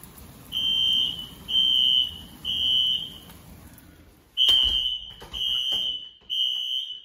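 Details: Apartment building fire alarm heard indoors during heavy rain; piercing high beeps in sets of three with a pause between sets, repeating; evacuation signal triggered by a pull station on the first floor.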